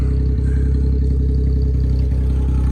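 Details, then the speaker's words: Subaru Justy, true cold start after sitting outside in cold rain and snow, running with open headers and no exhaust: loud, blunt, chuffing, tractor-like idle with a steady low pulse; expected with no exhaust fitted. "It's idling. Sounds like a tractor. Open headers, no exhaust."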